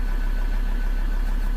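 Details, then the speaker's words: 2013 Ford Ranger 3.2 L five-cylinder diesel, just restarted after a crank-no-start fix and fuel bleeding, idling to charge a low battery: steady, even idle with a smooth low throb, no stumble or knock; an injector code is stored but no misfire is felt. "Let's leave it let idle a little bit to charge the battery up, and then I'm going to remove the fault and the check engine light"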